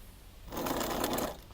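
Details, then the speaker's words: Crosser CR1 electric scooter, over 2,000 km, burnt controller replaced and wired by colour; hub motor buzzes roughly and vibrates instead of turning due to mismatched phase wires or Hall sensor wires. "У нас несовпадение фазных проводов либо ответных проводов датчиков хола к мотору."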